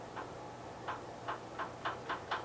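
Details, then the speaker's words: 1973 Gravely 810 with PTO clutch disengaged: sharp, regular ticks over a faint engine hum, speeding up to about four a second; forward or reverse clutch bearing suspected. "okay pretty sure that noise is the forward clutch bearing or reverse clutch bearing my bad"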